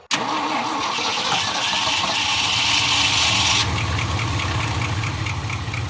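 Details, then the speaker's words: 1975 Ford F500 rollback truck after 17 years in a field: cranks, catches, then an uneven loping idle close to stalling; owner suspects the carburetor and a non-working accelerator pump. "it's just right there on the on the verge of running and not running you could probably somebody could probably do a little work that carburetor"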